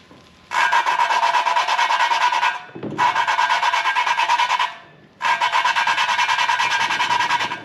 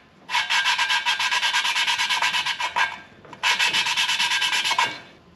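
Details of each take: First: BMW M54 cylinder head from an overheated Z3 engine, machined head, lapping a valve by hand with suction cup and Permatex compound: steady gritty rasping strokes about every two seconds, valve and seat not yet seated. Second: BMW M54 cylinder head from an overheated Z3 engine, machined head, valve lapped by hand with Permatex compound: back-and-forth hiss in two bursts, tone changed from gritty to smooth, no catches; shiny even seat pattern. Normal valve lapping.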